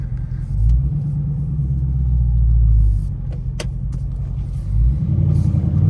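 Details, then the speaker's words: Dodge Charger Scatpack Widebody after fixing active exhaust valve squeak: deep V8 rumble at low speed swelling with throttle, no squeak (previously squeaked at low speeds and startup in eco and sport modes). "So good. I ain't heard not one squeak. I'm happy with that, man, because like I said, it was super annoying, especially when you were driving at low speeds"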